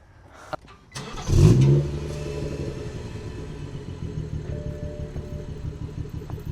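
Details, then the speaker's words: Manual BMW 340i with stock exhaust reinstalled, previously open dump 6" catless downpipe: quick rev blip makes note louder and raspier, then steady idle; exhaust flap normally opens over 4,000 rpm; flap opening on rev, normal. "Normally, if it goes over 4,000 RPMs, it opens it."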